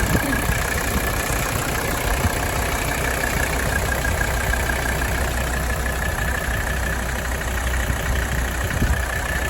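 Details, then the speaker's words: 1985 Mercedes-Benz 300TD W123, OM617 diesel, about 107,000 miles when bought, hood open: smooth, even low diesel clatter at steady idle, no misses, knocks or hunting; purring, healthy idle. "It just don't get much better than this, folks. That's the reality. You all have driven these and worked on them, you know, it's purring."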